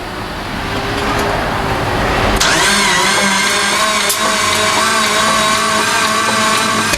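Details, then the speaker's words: 1992 Dodge Stealth R/T revived from sitting, loose spark plugs, new timing belt found: rough uneven running with sharp pops backfiring through intake from a dead cylinder fed by another cylinder. "a dead hole I like how backfires that means it's backfiring out of this cylinder which means it's being fired through the intake from another cylinder"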